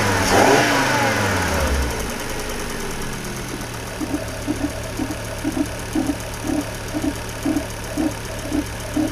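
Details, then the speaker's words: Volvo C70 T5 GT, cold start, heard under the bonnet. The flare settles to idle with a light, regular tick about twice a second from one side of the engine; it is worse cold and fades when warm. Suspected oil-starved followers, possibly a sump O-ring. "We've got just a slight tick, slightly worse when it's cold. Now it's warmed up, it tends to go away, but it would be something that I'd be looking into"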